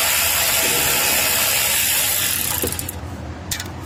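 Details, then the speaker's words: 2013 Honda Pilot J35 V6, timing belt slipped: starter cranks fast and even, nearly four beats a second, with no compression pulses slowing it; jumped timing, likely bent valves. "But it does sound like it doesn't have any compression, so I'm curious to see what it sounds like."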